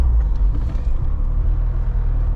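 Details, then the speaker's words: Brother's wagon, first drive after brake work: steady low engine rumble with no rattle or knock underneath; exhaust no longer rubbing on the chassis. "so this is the first drive after doing the brakes and right off the bat no more exhaust noises rubbing on the chassis"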